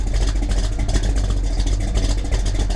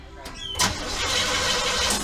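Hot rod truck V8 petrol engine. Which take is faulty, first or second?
second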